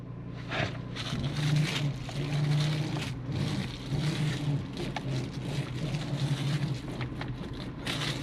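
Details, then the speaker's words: 2021 Genesis GV80 at idle after replacing the steering universal joint (shaft) assembly: wheel turned back and forth, no more rubbing or grinding from the driver-side floor area, steady engine idle only. "Okay, I don't hear that. That's good."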